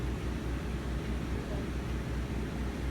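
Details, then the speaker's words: 3700 W RV generator running a Coleman Mach 15 15,000 BTU air conditioner with a Supco SPP6 hard start capacitor, fan turned on before the compressor: steady low drone at even speed, no hunting or surging; generator healthy under load, air nice and cold. "the generator the crappy 3700 watt B Bali generator um it's running it it's running the AC um of course the fan has to be turned on first"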